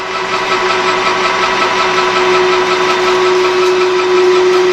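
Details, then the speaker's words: Lathe turning a stepped jackshaft for a 12-inch Craftsman vertical band saw conversion: thin steady whistle over the lathe hum through the cut — mild harmonics/light tool chatter. "a little bit of harmonics in it you can hear I've got a little bit of paper to work with"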